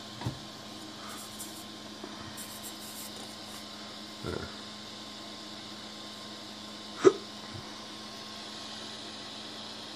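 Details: Rostock Max v2 3D printer with the newly installed PEEK fan and shroud, running during PID tuning; faint, steady fan hum with a light high hiss and a few sharp hiccup noises; the small fan sounds healthy.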